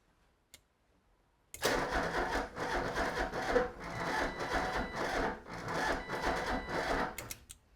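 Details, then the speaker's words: 1988 Ford Escort, restarting attempt during fuel system diagnosis with the fuel pump audibly running. The starter grinds over in sluggish, uneven pulses, under two a second, too slow to fire; starter motor suspected, not confirmed. "It's not turning fast enough, is it?"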